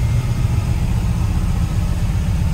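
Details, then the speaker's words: 1940 Mercury Club Coupe 1960s street rod with a cam, stored 50+ years: deep, choppy, loping idle, mean-sounding; oil pressure reaches 42-45 psi when revved; normal lopey idle from performance cam. "It's got kind of a mean idle to it."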